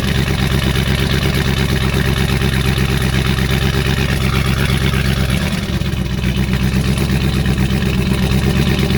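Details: 2019 Camaro SS, 6.2 L direct-injection LT1 V8, with a stuck-open fuel injector: lumpy uneven idle with irregular lope and a mid-clip stumble like a dead cylinder; misfire from stuck injector.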